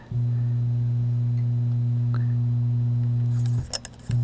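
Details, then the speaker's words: LM1875 bridged amplifier on a variac and bulb limiter at power-up: a steady deep hum near 120 Hz drops out briefly and returns. An undersized limiter bulb held the supply voltage too low; the amplifier itself was fine. "well I think nothing is wrong I was using a too small of bulb and it didn't allow the voltage to come up enough"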